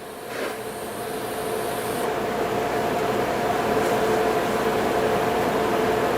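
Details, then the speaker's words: TIG welder in pulse mode on an uncleaned junkyard barrel part: a steady, fast buzz of about four pulses a second over a constant hum and cooler whir, even throughout; normal pulse-mode welding. "we're just going to it the buzzing that you hear that's uh that's welding in pulse mode"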